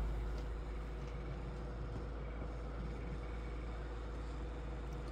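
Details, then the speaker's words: Crosley 12-inch oscillating fan on medium after its stiff motor bearings were oiled and its gearbox greased: soft, even hum with a faint steady motor tone, no knocks or rattles. Runs normally. "still pretty quiet this is about the noise of a modern 12in oscillator on low speed"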